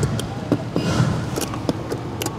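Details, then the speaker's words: Silverado blower on high with connector wiggled: irregular sharp relay clicks as the blower motor briefly whooshes on and cuts out, from a bad resistor with melted power-feed and ground connections. "can hear the relay clicking and the blower motor coming on it absolutely has a bad resistor"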